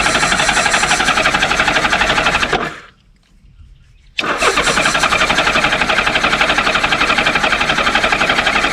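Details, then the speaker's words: Honda Goldwing GL1500 flat-six (1986–88), 32,656 miles, sat in a barn 21 years with a rusted-out tank. Rapid starter churning, a brief catch and near-silent gap, then churning again with no sustained running: it fires briefly and dies. "It cranked up for a second there."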